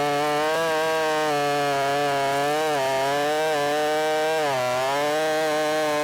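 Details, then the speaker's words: Ported Shindaiwa 757 chainsaw cutting a log: screams at high revs but sags in pitch several times under load because the flat-cut modified muffler outlet sits against the log and can't breathe. Bogging from restricted exhaust. "I cut that off at a flat angle and so it looks cool but you could probably hear it it was getting right up against the log and it can't breathe"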